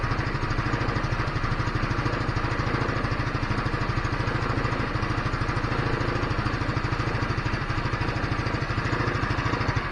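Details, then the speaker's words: GY6 scooter that kept dropping RPM and dying after a week sitting, now after cleaning the carburetor main jet: quick regular single-cylinder putter holding constant speed, no hunting. Stable idle; problem fixed. "so it looked like uh the rpm is stable look like the engine is doing good looks like cleaning the main jet on the carburetor"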